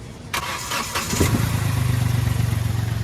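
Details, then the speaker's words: Engine start/stop clunk felt from underneath the body: sharp knock as the starter engages, then a lumpy low idle pulsing about four times a second; intermittent; loose center engine mounting suspected, not confirmed. "Of कर दे तो in time में एक नीचे से अंदर body से थोड़ा अजीब सा आवाज ए रहा है"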